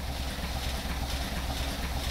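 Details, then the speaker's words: 1931 Horch 480 Sport Cabriolet, 5 L straight-eight, fired after 5–6 seconds and warmed about 5 minutes, idling with a low, soft, even burble and no knocks. Slight vibration comes from the radiator surround. Normal warm idle. "now we've warmed it up for about 5 minutes and now it's idling just absolutely gorgeously"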